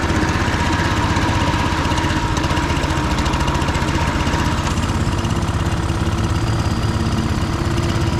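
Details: Husqvarna HU 625HWT four-stroke string trimmer, a non-runner, started after repair work: buzzing at a steady fast idle, even firing with no knocks or misses; running fine.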